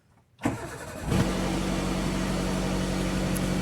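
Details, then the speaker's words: 2001 Maruti Suzuki Zen petrol, started after sitting 3 months: short crank, catches on the first try, then settles into a steady even idle with no misses or knocks; normal start and idle. "మన car sound చూడండి ఎట్లా వస్తుందో మొత్తం మన పాత car start అయినాక sound ఎట్లా వస్తది"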